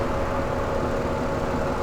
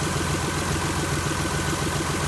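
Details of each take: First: 2001 Chrysler LHS 3.5L V6, checked for valve clack 500 miles after adding TriboTex oil additive. Short stretch of steady, even idle under radiator fan drone, with no ticks or knocks; runs smoothly. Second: 2001 Chrysler LHS 3.5L V6, rebuilt without replacing hydraulic lifters, idling just after adding TriboTex oil additive: even idle with light intermittent top-end ticking pointing to tired original hydraulic lifters.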